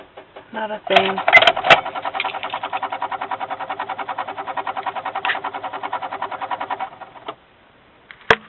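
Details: Car or truck won't start while on a battery charger: fast, even chattering clicks about three a second for several seconds with no cranking, and gauge needles chattering; weak battery or poor connection suspected, not confirmed.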